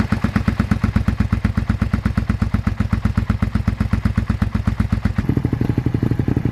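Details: Abandoned 2001 Suzuki SV650S V-twin, just revived: lumpy thumping about four pulses a second, pitch shift near the end; running, condition unknown, still needs work.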